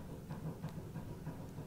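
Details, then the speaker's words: Suzuki Swift, 1.3 CDTI diesel, 130,000 miles, right-hand front suspension rocked by hand with the caliper hung up: quick dull knocks about three a second from a worn anti-roll bar drop link. "So there's a few nagging noises coming from the right hand side, and if I just pull it down, I'll have the caliper hanging up there already. And that is an anti-roll bar drop link, so we can see, I can hear"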